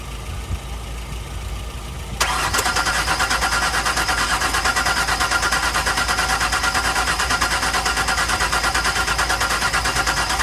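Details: 1999 Ford Explorer right after starter replacement, battery jump-assisted. Steady, even cranking at about three turns a second without catching; the starter spins strongly, and the owner thinks the engine is flooded from repeated start attempts.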